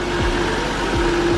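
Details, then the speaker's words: Toyota JZX100 Mark II, 1JZ-GTE VVTi turbo six, just started before warm-up and before an engine flush and tune-up: smooth, steady idle with an even low hum, no knocking or ticking; healthy, though leaking a little oil. "starts up right away like honestly this sounds like a very very healthy 1jz gte dvti"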